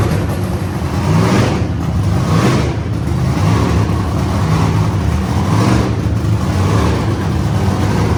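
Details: Wagon project car's first start after lean condition traced to manifold leak, temporarily sealed with painters tape on back of manifold: catches, revs up and down cleanly, settles to steady idle without misses or knocks; normal running and idle.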